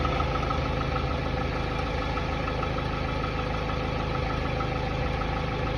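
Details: Hyundai Tiburon 2.0 MPI G4GC (143 hp) at cold idle: light, fairly even knock two to three per second on top of a steady idle that disappears once warm; the owner suspects piston slap, not confirmed.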